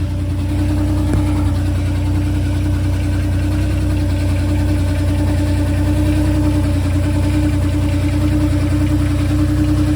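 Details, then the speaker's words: Ford C4 transmission car after a torque converter swap, recorded under the car: steady mid-pitched hum over a smooth low idle rumble; new humming noise that doesn't sound bad but differs from before, source unknown. "it's like kind of like a a huming sound it does not sound bad uh it just sounds different than what it normally did"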